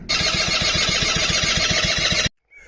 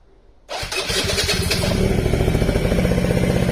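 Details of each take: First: Quadzilla Buzz 50 two-stroke quad after rewiring with new loom and switches: starter spins about six even turns a second without firing; plug checked, no spark until a taped-off switch was pushed in. Crank, no start. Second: Quadzilla Buzz 50 two-stroke quad, sat over 5 years, rewired with loom and switches from a donor quad. Cold start with the rear brake wedged on; catches first go and settles into an even, buzzy idle with no knocks or misfires.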